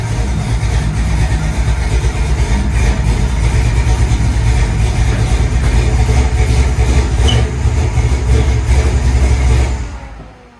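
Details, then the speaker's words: 1991 Chevrolet S-10 with a 355 small-block V8 (forged crank, rods, Wiseco pistons, 10.5:1 compression, Holley carb): even rumble at idle with no stumble after setting 40° initial timing and idle mixture screws; normal running, stumble fixed. "what do you think chief runs much better"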